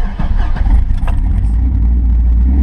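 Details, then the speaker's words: Camaro engine that was low on oil, owner suspecting a spun bearing after oil starvation at wide-open throttle and a stall when revved: heavy, very slow cranking with no catch, not normal. "that don't sound right see how slowly it turned over trying to start it that's not normal"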